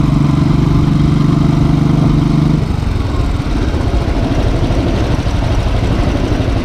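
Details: Motorcycle with dealer-replaced engine (plus starter, throttle body, fuel injector), hot after a short ride: even single-cylinder idle about three beats a second, no valve tick or knock; normal hot idle after repair.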